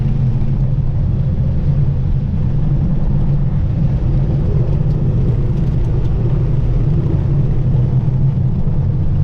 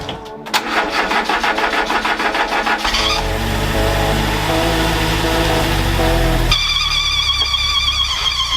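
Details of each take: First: Renault 4L with prepared Cléon 1108 cc engine after cylinder head rebuild, on road uphill: deep steady exhaust drone pulling evenly, no knocks or misses, revs freely, more muffled and throaty than before, now climbs the hill in third; healthy under acceleration. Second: First start of a Renault 4L's prepared 1108 cc Cléon engine after refitting the cylinder head; starter cranks, engine catches and runs unevenly with odd clattering and a sudden change; cause unclear, burning smell from grease on the manifolds.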